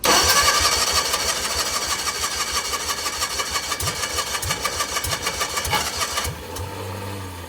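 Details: Cushman mini mail delivery vehicle: fast, rough cranking near three strokes a second for six seconds, then winds down without running; fuel starvation suspected, possibly stuck carburetor needle and seat.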